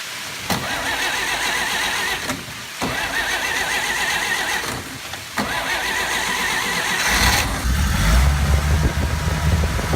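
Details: 1941 Dodge WC12 after adding a missing charge light to a GM 3-wire alternator: a few cranking attempts, then the engine catches near seven seconds and settles into a steady low rumbling idle; it starts cleanly and runs evenly.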